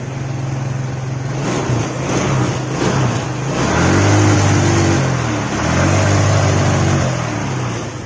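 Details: Yamaha Mio scooter, kick-started due to weak battery: revs rise then waver and stumble under throttle instead of climbing cleanly, won't pull at high rpm; clogged or dirty air filter suspected, not confirmed; sputtering at high rpm.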